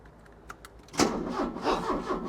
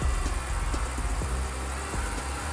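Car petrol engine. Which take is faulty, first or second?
first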